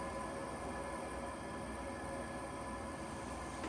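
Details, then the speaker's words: Vollara Surface Pro air purifier, about five years old, shortly after servicing and oiling the fan: constant whirring hum with faint clicking returning; rattle noise back, owner wonders if the motor is shot or oil needs to work in. "There's a little clicking in there. Yeah, it's back to making that noise. I wonder if the motor is shot."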